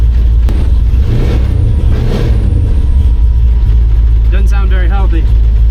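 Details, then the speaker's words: 1953 truck with LS swap on Holley EFI, after a new tune file was built from scratch: loud, deep V8 idle with a lumpy, uneven beat; misfiring, running on seven of eight cylinders, cause not yet found. "And I tested to see if we were running on 8 cylinders now but only seven were firing got it running but I'm not convinced it's running on 8"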